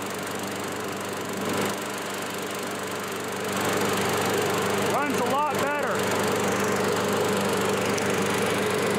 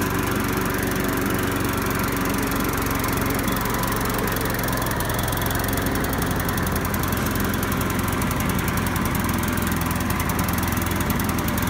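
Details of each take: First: Curbside-found Craftsman self-propelled lawn mower with a cleaned and reinstalled carburetor, mowing: small single-cylinder engine holds a steady, even drone with only brief debris ticks; running smoothly and healthy. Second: Curbside-found Craftsman mower, single-cylinder, started after reconnecting spark plug wire with missing boot and adding gas; loud, uneven, hunting idle, runs weird; owner suspects carburetor needs cleaning and maybe spark plug replacement.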